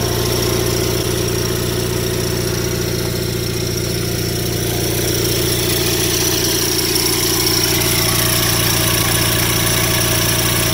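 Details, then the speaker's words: Rare factory-built Cub Cadet garden tractor at idle; fast loose rattle about two per second tied to engine rhythm from the PTO clutch counterweight disc flopping, needs tightening; PTO clutch counterweight disc rattle. "that rattling noise you hear is that counterweight disc on the pto clutch rattling i gotta i gotta tighten that up it's not supposed to flop around"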